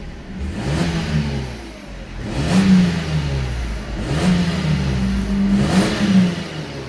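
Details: Mercedes-Benz at 203,000 km, free rev test recorded inside a car wash so the exhaust echoes: the engine swells through repeated revs and settles back, smooth and strong with no knock or rattle, plenty of power; healthy engine.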